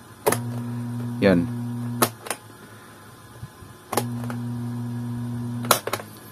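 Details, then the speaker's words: Electric desk fan on power: low steady motor hum with the blade not turning, only moving slightly though not stiff; fault traced to the motor shaft bushing, seized/dry bushing. "Number one tayo mga Master an kung maririnig niyo umuugong yung kanyang motor no bale naman matigas yan h naman siya matigas pero umuugong yan"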